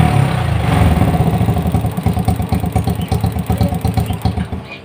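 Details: Honda Astrea Grand motorcycle with flooding carburetor and spark plugs that foul quickly, hard starting, before servicing: uneven, lumpy idle with irregular low pulses that stumble and fade as if dying; rich mixture suspected.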